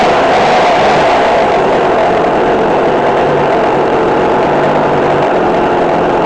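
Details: McCulloch Mac3216 32cc chainsaw with 16-inch bar, after carburetor adjustment (1/4 turn in, idle adjusted). A steady high-pitched two-stroke buzz at even speed with no hunting or stumbling; running smooth and healthy.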